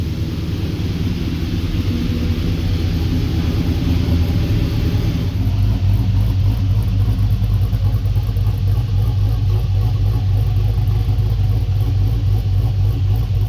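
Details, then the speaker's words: 1965 Chevrolet Impala with LS 5.3 V8, exhaust X-pipe joints just welded, band clamps on muffler: deep even idle rumble swelling cleanly on the rev with no puffing or ticking; exhaust sealed, no leaks. "But let's see what she sounds like. Huh. No leaks like that."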